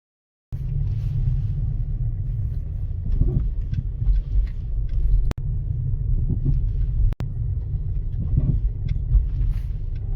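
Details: Opel (Vauxhall) Mokka X: dull, irregular knocking clunks over bumps through road rumble, from a worn front right shock absorber. It was replaced with AL-KO shock absorbers.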